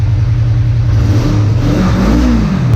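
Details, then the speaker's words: 1985 Kawasaki 454 LTD EN450 twin after valve adjustment, new plugs, carb rebuild, compression 150/140 psi; throttle blips climb and fall cleanly, no vacuum leak, healthy. "don't have any issues with a vacuum leak or anything and it keeps coming all the way up that sounds nice"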